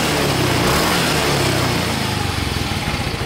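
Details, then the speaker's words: Yamaha Mio M3 (Mio Z) scooter at 17,600 km, fresh Shell AX7 Matic 10W-40, low-mileage and healthy yet consuming too much oil (~0.15 ml/km): revs cleanly and returns to an even idle, no rattles, misfires or smoke. "Jadi motor ini sehat walafiat teman-teman, tapi memang konsumsi oli berlebihan ya."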